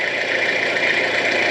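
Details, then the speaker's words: Peugeot P4 army jeep diesel, first start after about 10 years, glow plugs heated, in neutral, left idling to warm without revving; exhaust clear, not smoky. Steady, even diesel idle with smooth rumble, no misses or knocks; normal. "I'm just looking for any sweetness in case we've got water leaking from the coolant system into the engine. It's not smoky at all, it's quite clear. So I'm not going to rev it, because obviously this engine hasn't been used in quite a while, so I'm just going to let it tick over, warm itself up, and then we'll give a b"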